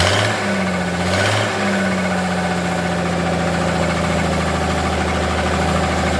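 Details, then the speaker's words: Forklift engine idles with a rough, rhythmic knock over a low drone, right after fuel pump relay and wiring work; the knock came from the hydraulic pump not yet tightened down, to be tightened before continuing. "okay that knocking noise was actually the uh hydraulic pump I hadn't tightened that down so I'm going to get that tightened down before we do anything else"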